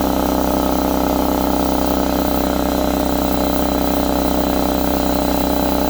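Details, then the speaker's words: Husky C303H air compressor that would not build pressure, after repair (valve plate/piston ring parts), now building pressure and running hot: steady motor drone pulsing about four beats a second, no knocking or hissing; normal compressor running. "yes we got pressure this time we want to listen for any leaks get your ear next to it wow this is hot seems like it's working well"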